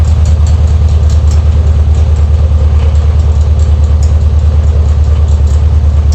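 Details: Air-cooled VW Beetle Type 1 engine at idle: deep, steady thump about three times a second with a faint irregular light ticking, abnormal noise from near the alternator pulley.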